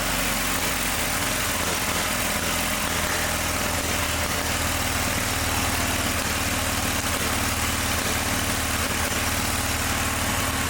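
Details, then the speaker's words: John Deere 318 garden tractor engine runs steady but flat and labouring, no crispness; previously needed a valve job, but it got real hot real fast, suspected ignition fault with points barely opening, starving the spark. "To me, it sounds like it's got an ignition problem because it's running, but it got real hot real fast."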